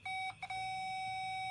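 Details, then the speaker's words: 1960 military generator, ignition check; tester's steady high beep cuts out twice then holds as the points open and close, confirming working points; 12 volts at the coil. "The green light flashes. That means we've got points that are working. We just got to get power to the coil."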